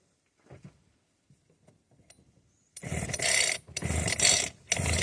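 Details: Vevor hedge trimmer started again after about four months unused, switch on: quiet handling, then the small two-stroke catches and runs in bursts with some rev blips, sounding healthy.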